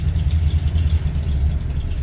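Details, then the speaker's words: Ford F100 FE V8 that has been sitting, started on starting fluid with the new starter installed and choke eased off, cold: deep, steady low rumble with an even beat and no knocks or misses; normal cold idle. "Okay, start it up. Okay, we're back in business. Take off the choke a little bit."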